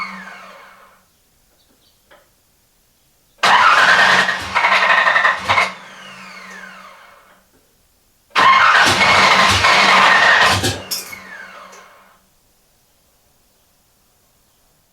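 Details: No-start on an engine first fired in about eighteen months, ECU wired for an LS2 with repinned connectors, crank sensor rewired to sensor ground; two roughly three-second cranking bursts that churn and almost catch but never fire.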